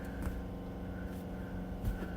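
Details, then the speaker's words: Unrestored 1949 Dodge B-series half-ton truck with original 95 hp flathead six and 6-volt wiring, key on with a little choke before cranking: steady electric hum, faint higher buzz and light clicks of the electric fuel pump priming normally. "And I hear that electric fuel pump."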